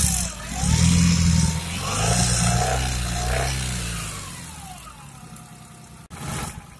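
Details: Engine with an annoying noise and shudder: a rough, uneven note that shakes and rattles as revs climb when the accelerator is pressed, then settles. Cause not determined.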